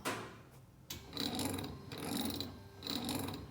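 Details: Wiper motor on a blown big-block Chevy coupe being test-run during fitting: a soft rhythmic whir with a swishing surge about every second as the wipers sweep. Even and unstrained, judged not bad.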